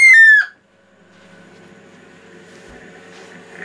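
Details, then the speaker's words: Cifer 2486 Intelligent Terminal, unused since 1982, first power-up: loud high whistling squeal sliding down in pitch, then a faint steady hum from the rear fan; no smoke; noisy failing cooling fan. "Okay, we have life of some kind. That noise is sounds like the rear fan."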